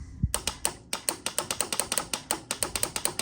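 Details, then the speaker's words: 1993 Honda Helix CN250 found in a sand dune, key in run, start pressed: string of sharp dry clicks about six a second with no cranking; starter relay chattering, engine seized. "Nothing. Oh, there it goes. That's our starter relay. I don't know if this engine is free or not."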